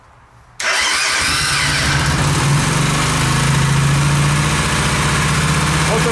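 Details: Suzuki Intruder 125 V-twin with thick wire feeding battery positive straight to ignition module (about 11.3–11.9 V): short crank, catches at once, steady even idle of about four beats a second; fixed hard start, relay planned.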